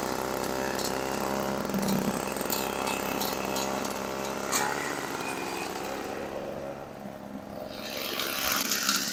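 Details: 1980s MTD Snowflite two-stroke snow blower, bought as a non-starter and unrepaired, working through snow: steady, even buzz holding its speed without surging or misfiring; sounds healthy.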